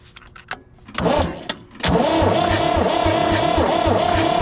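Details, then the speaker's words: Ford diesel tractor sat in a barn about 20 years, cold crank with no glow-plug heat or ether: steady cranking at about four compressions a second with no firing; cranks but will not start. "I did just do a cold crank with no heat or ether and it's just it doesn't want to go"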